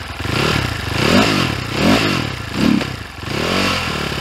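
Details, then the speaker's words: 2022 SSR SR300 dirt bike, single cylinder, just after a new carburetor install, engine still very cold: once the choke closes, the beat surges and sags about once a second and bogs; the idle is turned up. "Still very cold. Don't mind the bog. Turning the idle up."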